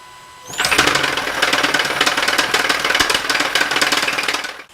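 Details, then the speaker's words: 2017 Hyundai Sonata Hybrid with 88,000 miles; harsh, fast, uneven metallic clatter right from start-up for about four seconds, run only briefly: timing chain rattle. "behind me is a 2017 Hyundai Sonata with a crazy chain rattle listen to this thing now I didn't want to run it too long but just enough you can hear that crazy noise that's the timing chain"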